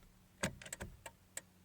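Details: 2003 Chevy Cavalier (3rd gen): turn signal gives a few uneven clicks then stops dead instead of blinking five or ten times; symptom persisted after replacing the switch assembly; failing turn signal flasher relay, to be replaced.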